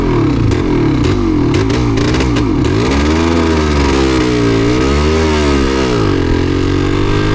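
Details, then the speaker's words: Yamaha DT250MX two-stroke on Essex byways: revs rise and sag unevenly with popping stumbles, misfiring and struggling to hold revs; plenty of fuel, rider suspects water in the engine/on the plug, not confirmed. "Dear, oh dear, not so good, is it? Got plenty of fuel. Sure we have. Guess it's just water in that."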